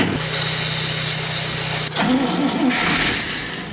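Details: 1965 Clark Cortez motorhome, Dodge V8 with carburetor, first start attempt since valve stem seals were replaced and the distributor refitted. Starter cranks, the engine fires briefly on starter fluid, sputters and dies; it won't run on its own fuel.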